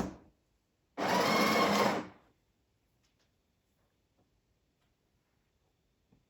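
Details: Breville Barista Express BES870 built-in grinder on a used but lightly worn machine, grind dial around one to two o'clock, dosing about 8–9 g per dose: short one-second steady, even grinding burst stopping cleanly in a quiet room; grinder sounds healthy.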